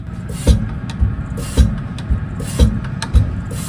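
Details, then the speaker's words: Reman mechanical injector for a Deutz BF6L913C six-cylinder on a Case 170B excavator, fitted with a new nozzle and nut, on a pop tester: crisp rhythmic chatter about twice a second with clean atomization, cracking near 190 bar against a target of about 180. "you can already hear it chattering I don't know if that's picking up on camera we may stick the [Music] mic hopefully that demonstrates the chatter and you can see beautiful atomization right so no more"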